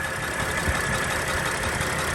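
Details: 2007 Dodge Sprinter 3.0 diesel, smoking badly after a test drive, warm idle with hood open: uneven, chuffing pulse under the usual diesel clatter. Leaking injector seal.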